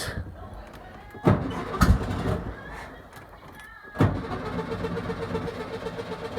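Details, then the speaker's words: 1971 VW Beetle project, engine started with no exhaust fitted: cranks and coughs, catches around four seconds, then chuffs unevenly open-piped; owner unsure if it sounds good, needs the exhaust on to judge the pistons. "You can hear the pistons going up and down, but there we are. Don't know if that sounds good or not. I need the exhaust on it to get a proper feel for the pistons and stuff."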